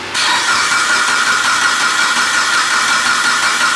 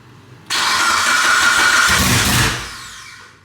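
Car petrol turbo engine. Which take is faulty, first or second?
second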